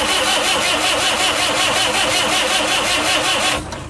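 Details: Saviem SG-2 diesel, replacement engine fitted after the old one failed, injection pump swapped onto it: starter cranks evenly for several seconds, never fires; only coughs on start-pilot. Owner suspects mis-timed injection pump.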